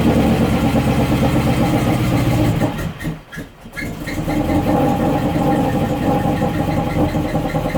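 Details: 1972 Range Rover A-suffix V8 during restoration, flooded and hard to start, spark plug just refitted: rough, labouring running stumbles almost to nothing, then catches and settles into a steady run.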